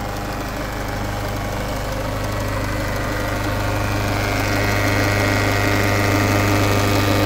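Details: 2013 Peugeot 508 SW 2.0 HDi 163hp diesel at idle: steady rhythmic knock, about three to four beats a second, over a low drone; abnormal engine noise of unknown cause.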